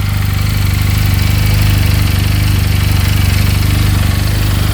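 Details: 2022 Benelli 302S single-cylinder, bought sight unseen at auction, fires instantly and idles around 1700 RPM: a steady, even, clean low thump with no top-end knocking and a good-sounding bottom end. Normal idle.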